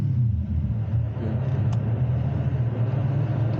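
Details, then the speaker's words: A drift car just fixed after its wiring harness melted, idling with no throttle: a steady, even low idle with no misses, knocks or surging. The engine settles and runs cleanly. "I just want to see it go idle once it heats up. I'm not on throttle anymore."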